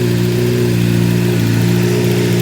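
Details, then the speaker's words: 2008 Honda CBR600RR inline-four after replacing the oil pump chain, sprocket and bearings: revs up smoothly and settles with an even exhaust note, the earlier buzzing is gone, quiet normal engine rev. "Sounds way much better. It's all quiet now."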